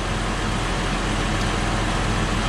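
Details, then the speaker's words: Toyota Highlander wheel bearing checked with a mechanic's stethoscope: coarse continuous gritty rumble like a corn sheller, unlike the smooth opposite side; worn wheel bearing identified for replacement. "y este se oye como una desgranadora de maíz señores y este va este balero va a ser el malo yo sé que estoy gritando pero es por lo mismo se escucha como él no es suave como el otro lado"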